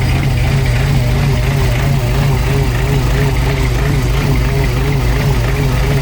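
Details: Supercharged hot rod on first run after new fuel system and Holley Super Sniper EFI install, owner says it's out of time but runs: loud deep irregular idle, a bit over one stumble a second, never smooth; rough idle.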